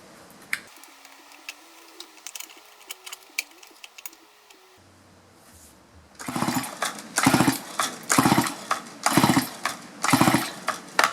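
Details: Chainsaw that quit while hot cutting a tree and won't restart, no spark even with a new plug: about six rhythmic recoil pulls, engine spins but never catches; ignition coil failure suspected.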